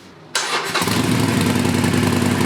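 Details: Used Harley Sportster V-twin on the stock exhaust, second start after fitting the heat shields: cranks, catches and settles into an even loping idle with no rattle; healthy.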